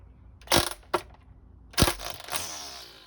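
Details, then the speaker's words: Ryobi ONE+ string trimmer after pulling extra line past the cutter: a few sharp clicks as excess line is cut, then the head spins up and winds down; normal line cutter trimming. "Did you hear that clicking? That's the string being cut by the cutter, as you can see when we flip it back over, and it's cut perfectly, ready to use."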